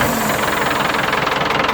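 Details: Single-cylinder diesel (walking tractor/plough) after water pump repair and reassembly, test run: fast even hard-edged thumping, no misses or odd knocks; runs normally.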